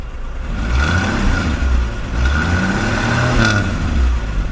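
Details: 1960 Ford Ranchero, started and revved at the rear by the exhaust: deep exhaust rumble rising smoothly as it's blipped and falling back, clean and even with no pops or rattles; sounds healthy.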